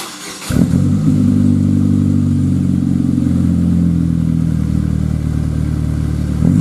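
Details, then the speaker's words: 2000 GMC Sonoma 2.2L I4, first start after a dual exhaust with Magnaflow muffler was installed; catches and settles into a deep, steady four-cylinder rumble with no knocks or rattles; sounds pretty good, not ricey. "so far it doesn't sound too ricey it actually sounds pretty darn good a nice deep rumble uh it has a little bit you know it has the four cylinder sound that's nothing you can get rid of"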